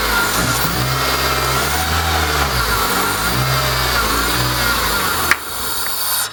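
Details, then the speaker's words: Honda Civic crank no start: engine catches and revs unevenly only on gasoline poured into the intake, cutting out abruptly when feeding stops; no fuel delivery, blamed on pump. "yeah so it's definitely the fuel pump nothing's getting gasoline to the car"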